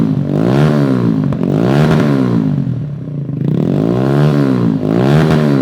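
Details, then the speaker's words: 2017 Kawasaki Z125 Pro after fitting a Hindle Evo Megaphone exhaust, gasket was a concern: back pressure applied, single cylinder blipped up and down with clean bark, no whistle or hiss; exhaust gasket sealing well. "Bring a little back pressure. If that was leaking, you'd hear it whistling up there. So, I know I got a good seal."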